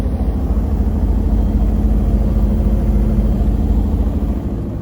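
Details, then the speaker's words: New Koenic KWM 8212 A INV inverter washing machine, empty cleaning run: a smooth, steady low hum with an even pulse and no knocking or grinding. A quiet spin running normally, inaudible across a 50 m² flat. "der Schleudergang ist super leise. Ich habe eine 50 m² Wohnung und habe es nicht gehört, aber der Deckel ist nicht gut."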